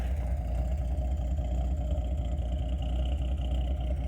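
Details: Datsun 280ZX, cold, with a bad miss that started suddenly; no vacuum hiss is heard. Rough, deep idle with uneven exhaust chuffs and irregular skips, a random misfire also audible in the exhaust. Owner suspects coil or ignition control module, possibly cylinder 3 plug wire.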